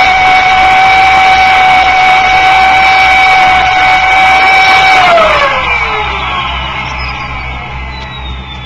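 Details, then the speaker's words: Mid-1960s Turbonique monopropellant turbo supercharger, two Stromberg 97 carburetors with throttles open, unrestricted compressor discharge for maximum load: loud steady high whine about five seconds, then pitch drops smoothly as it spins down; running cleanly. "this allows the compressor to do the maximum amount of work the turbo compressors acceleration will naturally be greatest under any other conditions of compressor loading the supercharger test follows"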